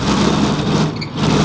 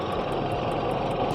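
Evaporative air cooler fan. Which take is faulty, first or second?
first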